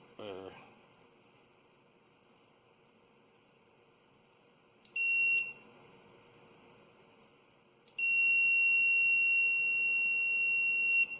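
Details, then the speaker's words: Old thermostat for a LANAIR XT-75 waste oil heater, tested on multimeter buzzer after turning the dial (ranges to about 30 degrees): brief beep, then a steady tone for about three seconds that cuts off cleanly as the contacts open. "Yeah, we're on now. And it'll shut off here in a second."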